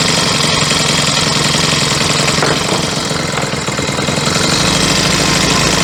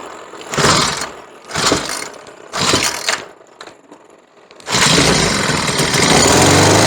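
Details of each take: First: Troy-Bilt four-stroke weed eater after yellow-tinted stale gas replaced with fresh fuel: busy, high-pitched buzz steady with no misses or surging; running cleanly. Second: Troy-Bilt four-stroke weed eater with replacement carburetor and new spark plug, running yellow-tinted stale gas: several pull-starts, then catches with an uneven, wavering note that never settles; stale fuel causing stumbling.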